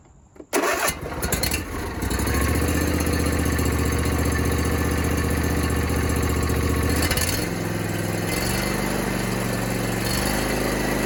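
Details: John Deere D125 mower after fixing a bent push rod that caused no start: brief crank, catches and settles into a steady, even low-pitched run with no knocks or misses, slight exhaust smoke; normal running.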